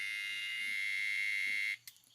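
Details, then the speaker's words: Microwave control board after a display replacement; a steady, shrill buzzer tone drones continuously, then cuts off with a faint click. "ele faz o ipsem normal mas continua com barulho é continuar com o barulho está sendo emitido por aqui"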